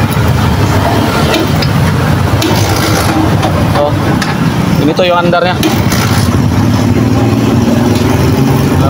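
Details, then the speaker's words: Barako 175 single-cylinder motorcycle running rough with irregular skipped beats; misfire because the CDI isn't getting steady power without a battery, weakening the spark. "maririnig naung andar nating makina parang may tumatag sa ilalim ang s nito mga ah kulang yung timing ng kanyang kuryente"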